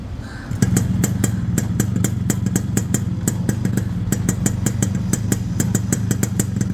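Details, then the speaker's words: Restored Yamaha RX two-stroke motorcycle, engine fully dismantled and rebuilt with 5-speed gearbox and RPM setup, idling: crisp, even ring-ding popping at about six beats a second over a steady low exhaust note; healthy normal idle. "இப்போ இந்த வண்டியோட beat sound கேட்கலாம் வாங்க."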